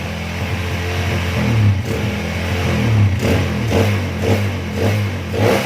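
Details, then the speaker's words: Honda CB/GL/MP/Tiger single-cylinder motorcycle after retarding magneto ignition timing from 15 to 17.5 degrees to cure kick-starter kickback: steady low idle thump with light throttle blips, even firing, no kickback; normal idle. "Oke, untuk lamsannya oke ya."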